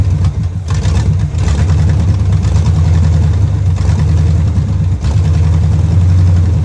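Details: 1971 Chevrolet Camaro Z/28 V8 barn find, new distributor, plug wires and fuel lines, running off a temporary fuel can: idle stumbles and sags every second or so with uneven beats; rough running, carburetor suspected, needs cleaning.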